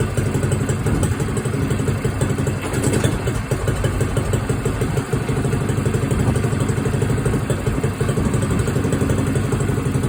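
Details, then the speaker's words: Small single-cylinder moped cold start, running on choke: rapid, even putter with no misses; a healthy cold start before warm-up. "Turned her choke off there. You can hear the governor maintaining the idle. I'll let her warm up and then we'll take her for a spin."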